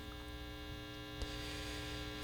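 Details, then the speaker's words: 1960s General Electric dual-speaker long-range tube radio, barn find, on full line voltage: at full volume only a steady low mains hum with no stations, tone control changing the hum pitch. "so there we go we have hum that's full volume that's definitely working and absolutely nothing tone control now the tone control changes the pitch of the hum so the tone control is working"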